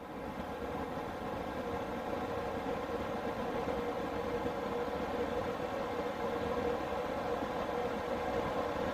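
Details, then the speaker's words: Newly installed diesel air heater in a skoolie bus, after startup: a loud, steady, jet-like roar with an even whoosh and no knocks or rattles, blowing lots of heat. Normal running at full fan speed. "You can hear it going a little faster. Wait for it, the jet's about to take off."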